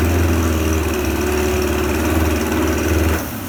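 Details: Suzuki 25HP outboard after repair, tested in a water tank: buzzy, even drone holds steady at speed, then drops as the throttle eases off, no missing or knocking; normal running.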